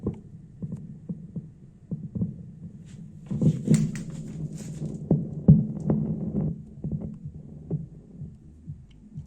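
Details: Thunder THC-SUB101 active subwoofer that works normally, then after 10–30 minutes starts wheezing. Irregular low thumps and pops, two or three a second, over a faint hum persist despite replacing 4 op-amp chips. The noise stops when the filter board's line input is disconnected; a filter board fault is suspected.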